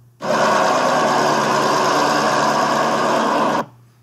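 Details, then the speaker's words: Nissan SR20DET in an S14 after rod bearing replacement, idling: rapid even sewing-machine ticking from hydraulic lifters needing bleeding; quiet after lifters were bled. "Rod Knock. ticking lifters that need to be bled."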